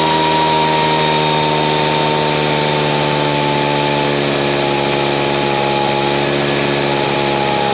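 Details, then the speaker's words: Poulan Pro PR46BT backpack blower with an old carburetor, after adjusting to stop bogging and turning the idle speed up: steady even two-stroke buzz at constant pitch, idling and running smoothly. "There we go. Just had to turn the idle up and get her going."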